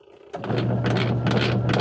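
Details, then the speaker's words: Camel washing machine wash motor running: loud low hum and rough scraping churn, very noisy and straining as if held back; spin dryer not working. "kaso Kung naririnig niyo ay napakaingay kaso napipigilan"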